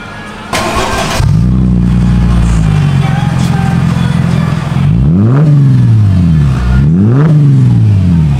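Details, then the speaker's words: Mercedes SLK 350 after repair of exhaust rattles: engine catches and settles into a deep, even idle, then two clean revs rise and fall smoothly with no rattle; exhaust sounds healthy. "Alright, that sounds sick."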